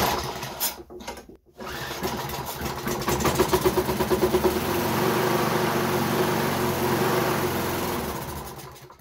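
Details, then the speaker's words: Wolf TB46B lawnmower with fuel, oil, spark and compression all confirmed: after fuel is poured straight into the carburettor it runs rough for seconds, then dies once that fuel burns, repeatedly; suspected fuel-supply problem. "das benzin was ich direkt in den vergaser rhein gegeben habe ist jetzt verbrannt und er mehr geld aus und das ist reproduzierbar das macht er immer wieder das heißt wir haben ein problem in der kraftstoffzufuhr"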